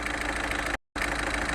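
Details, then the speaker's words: VW Vento 1.6 L TDI diesel with low pickup complaint, after all four injectors replaced and air lock bled: even, steady diesel clatter at idle with regular firing, no misses; beat now perfect, normal idle. "So இந்த வண்டியோட beat வந்து perfect ஆயிடுச்சு"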